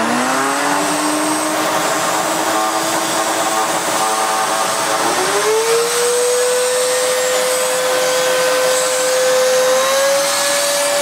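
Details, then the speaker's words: Miele S2111 vacuum after repair of a broken solder joint, power turned from minimum to maximum: smooth motor tone climbs in pitch in two clean steps with no rattle; runs healthy. "gosh that sounds delightful it does work very very well actually that's not bad at all not bad at all"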